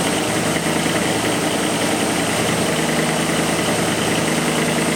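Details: 1987 Ford Bronco 5.0 V8 with EEC-IV ignition during misfire testing, SPOUT connector unplugged, revs held up: steady, even engine note with no stumbles or missed beats, firing cleanly on all cylinders.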